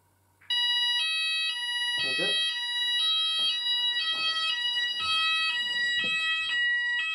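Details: Apollo addressable fire alarm system test, landing detector on Zone 3 activated: loud steady pulsing alarm tone, roughly two bursts a second, starting abruptly; sounders triggered by the detector test, working normally.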